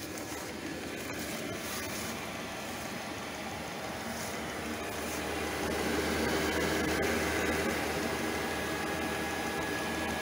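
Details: Diesel air heater, second use this season, that smoked: burner roar pulses and puffs unevenly instead of a steady rush; cause unconfirmed.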